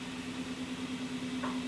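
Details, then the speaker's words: Showtec 1W RGB LED PAR64 fixture, about 12 years old, just started up: low steady hum with a pulsing growl that worsens as it runs; the cooling fan bearing is failing, fan replacement planned. "it does get worse Eco she's really picking up now and in a quiet venue doing a quiet part of a film or a quiet part of a show that is horrific"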